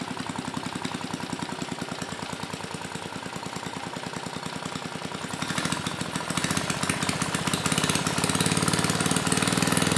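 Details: Mid-1980s Troy-Bilt Junior tiller, 3 hp Tecumseh HS35 engine (H35-45593R), after carburetor cleaning; pilot needle tuned, idle about 1,000 RPM. Even, steady single-cylinder beat picking up slightly near the end, no misses or stumbles; normal clean running.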